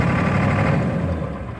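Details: 1996 Ford F350 7.3L diesel idling with an uneven, lumpy beat and a slight knock that wavers and sags near the end; rough idle, cause not identified.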